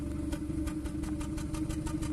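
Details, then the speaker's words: 2014 Kia Cerato that had overheated, cranking without starting during an actuation test: stumble with a sharp puff every third of a second; single misfire isolated to cylinder 1 with no fault code or misfire count. "صوت واحد. انتبهوا، تفتفة الأول فقط. فهذا شنو؟ عرفنا التفتفة اللي عندنا في السيارة من السلندر الأول، تفتفة من السلندر الأول بدون قراءة عطل، ما فيها هي فولت كود عليها."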